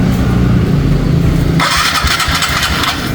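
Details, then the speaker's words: TVS Ntorq 125 scooter before repair: rough start with uneven metallic clatter over the low engine note, like broken pots; worn cam timing chain rattle, one-way nut also found loose, to be tightened. "Break ले देखि कैसा engine का sound है एकदम engine का sound बे ना कोई बर्तन भारा फूट रहा है उस तरीका से इंजन का साउंड है"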